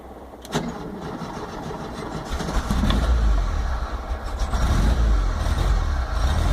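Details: VW T25/T3 Devon camper on Weber IDF carbs with no choke, sat a couple of weeks: fresh cold start after five pedal pumps, with the fuel pump ticking. Brief crank, catches at once, even slightly lumpy cold idle. Oil pressure and alternator lights go out.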